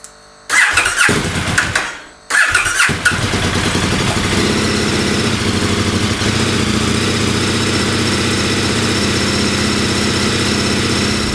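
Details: Fuel system freshly fitted with an in-tank neck filter and an inline filter, pump primed about five times by cycling the key: two short cranks, then it catches and settles into a steady, even idle; starts and runs cleanly.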